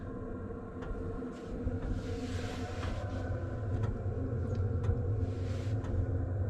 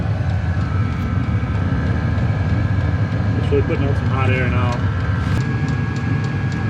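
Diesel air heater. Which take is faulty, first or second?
second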